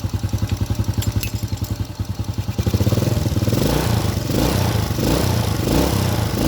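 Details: Motorcycle engine idling in lumpy uneven pulses before revving; over-rich carburettor mixture with nozzle, needle and main/pilot jet issues makes it stutter and blackens the spark plug.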